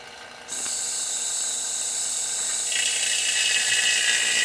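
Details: 1995 Honda Civic hatchback AC install: vacuum pump running with the high-pressure line disconnected and valve cracked to draw PAG oil into the system; steady rushing hiss builds slightly, normal suction.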